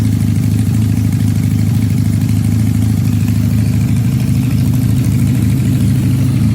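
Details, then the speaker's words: Supercharged Honda CL175 at warm operating temperature, checked for a heat-related vacuum leak with a DIY smoke tester: even, steady idle with a constant low thrum and no rise and fall; the earlier idle problem is absent. "all right we got the bike warmed up of course now it's not doing what it was doing before"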